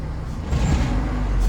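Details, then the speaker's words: VAZ-2112 16-valve with a reported fault of unstable idle, stalling or rising rpm, started during diagnosis: engine catches and settles into steady low idle, even rumble, no hunting or stumbling; idle holding. "Көлікті оталдап көреміз. көлігіміз оталды. Оборот"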